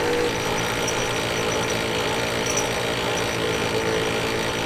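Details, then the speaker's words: Ram 1500 Sport front differential tested on the vehicle: harsh continuous grinding and rattling with clacking from the front axle while it turns; front diff is blown. "It's going into the front diff, nothing spinning. Man, that sounds brutal. I can't believe the noise that's making."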